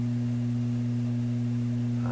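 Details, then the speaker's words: Loewe Opta Type 5966 tube radio, loud steady 60-cycle hum from the speaker with no program, running on two new power-supply capacitors; hum appears on the B+ line, suspected shorted tube, cause still unknown. "That power supply should not be generating a hum, yet there's a hum visible on the B plus line. So this is telling me the B plus line is somewhere in this radio, has been connected to something nasty. It's a 60 cycle hum."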